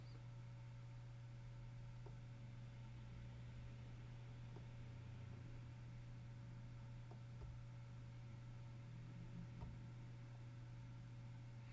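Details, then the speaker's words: Single Western Digital UltraStar enterprise hard drive, recorded at one metre: quiet, steady low hum from spinning platters with faint occasional ticks and spikes; normal drive noise. "that background noise of that spinning is always going to be noticeable and on these larger drives with more platters and more activity and the arm and the actuator and stuff reading from the drives a lot that is where these drives make a lot more noise"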